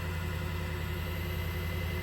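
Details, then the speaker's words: Wen 3420 variable-speed 8x12 mini wood lathe, first start-up out of the box, speed being raised step by step: constant low hum with faint steady whine, no knocking or wobble, no vibration felt; running smooth and normal. "So I'm going to increase it just a little bit more. Again, no vibration felt at this point."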